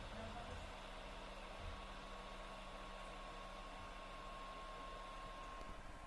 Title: PS4 Loud Fan noise - The Last Of Us